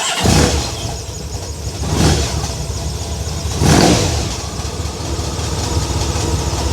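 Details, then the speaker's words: Honda VFR1200F V4 that misfired, would not idle and ran rough below 4000 rpm, with the vacuum line connected: a deep, even idle with mild swells. The owner suspects a tapping comes from the exhaust valve. "idles. And to be honest with you, it sounds pretty good. That tapping noise you can hear, I think, might be the exhaust valve thing."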